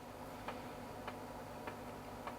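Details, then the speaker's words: Sony VAIO PCG-FX501 laptop floppy drive during a full (non-quick) format; crisp even ticks about every 0.6 seconds over a faint hum as the head steps normally, progress bar updating, floppy drive working. "don't know how well you can hear that but it sounds like it's moving correctly the progress bars updating correctly so that's all good sounds like we have a working floppy which is nice"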